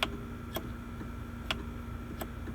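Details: Kwikee electric RV step on a Phoenix Cruiser, retracted and locked solid: sharp isolated clicks every half second to second over a quiet hum, with no motor run. Power reaches the step through its 4-way connector, but the motor isn't working.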